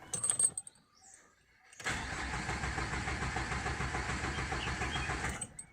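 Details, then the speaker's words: Renault Duster diesel parked four days: starter spins engine evenly about three and a half turns per second for four seconds but never fires; crank no start from high pressure fuel pump choked by dust. "its taking self but not starting lets try once again cranking no"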